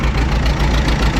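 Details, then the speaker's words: Massey Ferguson 7495 diesel tractor idling after a new throttle cable, oily engine with leaks: steady low rumble with faint regular ticking on top; owner says it needs a head job, cause not confirmed. "Well, we gotta do a head job. You can hear it ticking."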